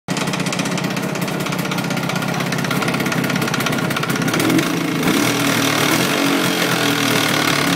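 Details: Jawa 638 two-stroke that runs fine cold but knocks once fully warm, first under load, then constantly after about 5 minutes. Pin bearings, cylinders and rings were replaced and heads checked, with no change. Hard, uneven metallic knock over the buzz. Cause unknown.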